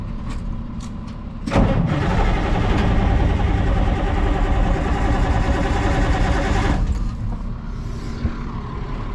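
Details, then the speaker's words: Caterpillar 3208 diesel, sat about a year, on a cold morning with ether applied: it cranks fast and evenly for about five seconds but never fires. Crank no start; a stuck valve under the fuel shutoff solenoid is suspected. "wake her up with a little bit of ether she's cranking fast"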